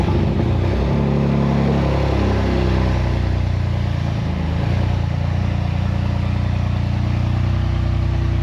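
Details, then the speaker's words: BMW M2 Clubsport, first start in about 10 months after engine rebuild, freshly filled with oil and coolant, no exhaust fitted at all: very loud, deep, raw bark settling from a rev into a steady even idle; runs healthy. "the reason it was exceptionally loud is there's no exhaust on it like literally nothing just to see it fire into life"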